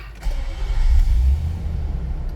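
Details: 2012 Nissan Armada Platinum V8, 156,000 miles: brief crank, then catches and settles into a deep, even idle with no knocks or misses; healthy start.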